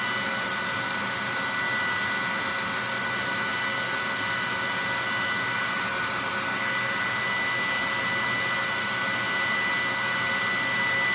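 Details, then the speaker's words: 30,000 BTU/hr multi-fuel fuel-fired personal cab heater for a 1973 M35A2 deuce and a half, after switching from run to off: blower pushes mildly warm air until fire and blower shut off, nozzle then about 114 degrees; smooth constant hissing, no rumble or clicking; normal cooldown. "It's pretty much blowing, I would say maybe mildly warm air right now. It's cooled off quite a bit. There it goes, the fire, it's just shut off, the blower shut off."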